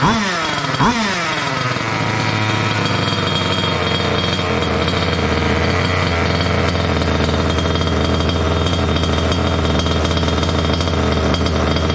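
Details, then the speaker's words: Water-cooled two-stroke Goped scooter, new coolant pump: engine catches, revs shoot up on their own and hold a high buzzing idle; lean from an air leak at the unplugged pulse line; plugging it made idle drop. "this is the pulse that goes to the other pump and i told myself i was going to plug that before i ran it and that's why it started up and ran so lean i got an air leak right here"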